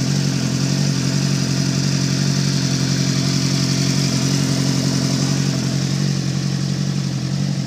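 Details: Suzuki GSX-R engine: loud steady idle with a regular clattering knock, roughly two a second, riding over the low exhaust note; engine knock of unknown cause.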